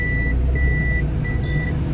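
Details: Toyota Vitz in reverse after repair of vibration on reverse/drive engagement: steady low engine hum with the reverse warning beep about every 0.7 s, no jerk or shudder; the earlier jolting is gone and reverse engages smoothly.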